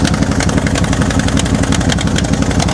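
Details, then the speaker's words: Salvage-yard Chevy square-body C-10 truck in gear: rough, uneven running with stumbles from a cylinder cutting in and out; it won't rev, has no power to pull forward, and keeps dying. Owner suspects fuel starvation; the noise seems near the exhaust. "Oh, it's Yeah, there's definitely a cylinder. It's wanting to come back around. It's coming in. Coming out."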